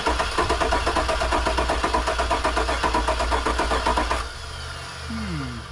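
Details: Truck which fired on starting fluid and was then given gas. Even starter beat at about four compressions a second for four seconds with no firing: cranks but won't start, and a noid light check shows no injector pulse.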